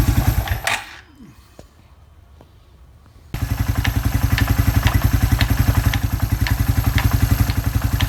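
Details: Suzuki Quad Runner 250 single-cylinder under restoration, exhaust refitted back to spec: catches after a quiet pause, then settles into a steady, even thump about four beats a second; normal idle.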